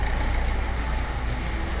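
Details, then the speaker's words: Diesel car engine starting after the fuel system was bled of air, following repair; it catches and settles into a steady, even clatter with no stumbling or cutting out, running normally. "Like I said, it might start up initially, then cut out, and hopefully it'll wind over a few more times and it'll fire up. Just let the air go out of the system."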